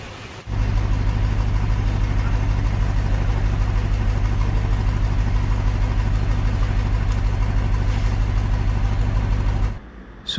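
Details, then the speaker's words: Lexus petrol engine with an overheating problem, started with the brake pushed: it idles with a slight uneven stumble in its low steady beat, a mild misfire present right from starting. "So ഇപ്പോൾ ഉള്ള ആ missing നിങ്ങൾക്ക് മനസ്സിലായി എന്ന് വിചാരിക്കുന്നു."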